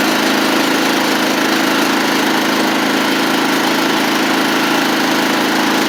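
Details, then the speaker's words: John Deere LT150 mower running with deck engaged, steady even drone, no misses or surging; much quieter after exhaust refitted with gasket and nuts from a parts engine (it had no exhaust before); sounds healthy. "Oh man, it's so much quieter. That thing had no exhaust on it when I got it from the guy."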